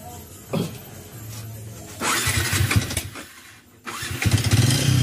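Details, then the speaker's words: Yamaha Vixion motorcycle with very rough engine before teardown; catches and revs with rough uneven clatter growing with throttle, connecting rod rattling worse than a sewing machine when revved; piston slap and connecting rod rattle. "Mungkin suaranya lebih bisa lihat di sini ada juga suara stang sehernya sangat kemletek itu saat kita gasah itu lebih parah dari bunyi mesin jahit."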